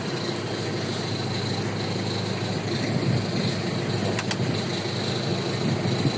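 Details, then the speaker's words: 2016 Mitsubishi L300 XV with the 4D56 diesel and about 180K mileage, engine idling: a steady, even A/C blower fan hiss over the low idle rumble, with no rubbing or ticking; the blower works, though the A/C is said to have a freon leak. "So gumagana pa yung mga air, gumagana pa yung blower niyan, pakinggan mo yung blower."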